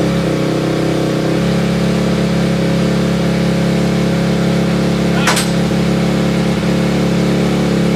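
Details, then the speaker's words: 2004 Honda CRF250X single-cylinder four-stroke after top-end rebuild, first start on choke: steady running, crisp even revs, no knocks or rattles; feels nice and tight. Normal running. "but as of right now this top end is done it runs good it feels nice and tight uh it's good to go guys"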